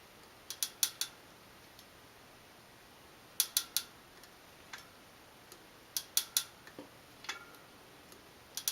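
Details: New Shimano Dura Ace C24 rear wheel with Ultegra cassette, lockring properly torqued: sharp dry snapping, creaking, metallic pops in bursts of three or four under pedaling load, replicated by loading the cassette with a chain whip; noise persisted after a new bottom bracket.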